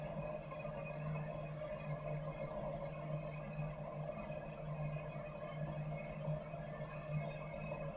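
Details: Campo 200,000 BTU heater, thermostat-controlled, fed through 25-foot 1-inch hose; flame just lit after air purged from lines, fans not yet on while heat exchanger warms; steady low roar and smooth hum, no sputter or surging: burner running normally.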